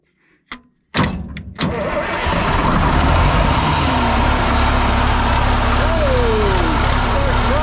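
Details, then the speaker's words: John Deere 890 excavator diesel after a starting fault traced to no power at the start button, key switch suspected: a couple of cranking bursts, then catches and holds a deep, steady, even rumble without misfire; normal start and idle. "there we go ah it's nice to see that uh she runs good and strong"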